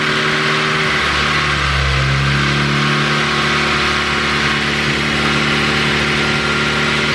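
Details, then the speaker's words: Ford Focus ST with a newly built engine (Speed Performance pop-n-drop kit), on startup during its first runs. Note sags and drops in pitch about two seconds in, then recovers to a steady run; bogging, cause unknown. "started bogging on me what started bogging"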